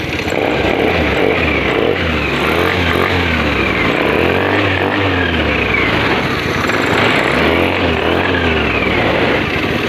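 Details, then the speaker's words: Honda Scoopy FI scooter after hard-starting fault (like weak battery) fixed by cleaning dirty fuel pump and injector: electric start, then steady low putter idle with gentle rev rise and fall, running normally. "Saya engkol starter. Nah, saya engkol. Ini sudah nyala dan normal."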